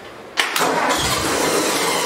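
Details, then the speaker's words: 1964 Ford 4000 tractor, first start attempt after converting points and condenser to electronic ignition: cranks briefly then catches into a rough, uneven run, trying to start but not settling; hard starting. "Well, that's a good sound. Sort of. It's trying to start."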